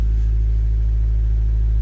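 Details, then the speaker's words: 1995 Honda Del Sol, a turbo build project, just started after a 255 lph fuel pump install and warming up. A deep, steady exhaust drone with no misses, knocks or rattles; normal revving. "I'm gonna let it warm up and then give it a couple reps."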